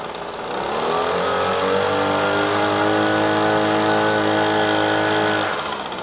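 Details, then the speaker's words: Echo PB-250LN handheld two-stroke blower after fresh fuel and carburetor adjusting screw turned left: buzz climbs cleanly to a high steady scream, holds without stumbling, drops back to idle; bogging fixed. "Oh all right I think that was a ticket changing out the fluid then exposing that little adjusting screw getting it adjusted just right looks like it's working just fine"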